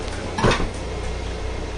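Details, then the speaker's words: Hampton corner-cabinet Lazy Susan after lubrication fix: brief soft knock and rustle as the turntable rotates, no squeak or whine, quiet after repair. "okay here we have a squeaky lazy susan this is what it sounds like when it's fixed"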